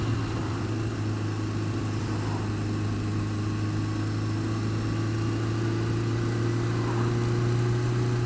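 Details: Honda Fireblade steady engine hum with a faint, fairly quick tick, worse when cold, quieter but not gone when warm; ticking from the engine, source unclear.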